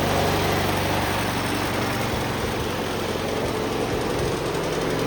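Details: Cub Cadet 1204 tractor after start-up, having just welded brackets: small single-cylinder engine chugging at a steady idle, about four pulses a second, running evenly on its own.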